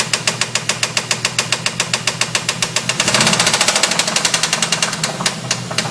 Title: 1992 Formula 350 Rod Knock?